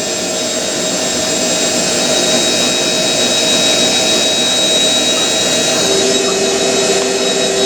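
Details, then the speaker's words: Hotpoint 9530 washing machine, final 1000 rpm spin with new carbon brushes: high steady motor whine, even pitch, faint screech from bedding-in brushes, sounds powerful; normal spin. "the new uh brushes make the motor sound like really powerful they [Music] do sounds proper doesn't it bit screechy but"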